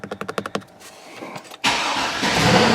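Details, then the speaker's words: GMC Yukon Denali with a no-crank fault, after replacing the engine computer (PCM) with a used unit: a quick run of clicks, a short pause, then the V8 catches cleanly into a strong, steady idle; normal start, fault fixed. "whoa chevy thunder we got a money light"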